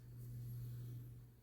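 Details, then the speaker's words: 1988-89 Lasko 9" desk fan model 2154 on low with oscillation after the oscillation gearbox was modified: low steady motor hum, no slowing or labouring. The oscillation no longer strains the motor. "And the difference is already noticeable, as I am not hearing the fan slowing down or anything that can tell you that the fan is having a hard time turning around."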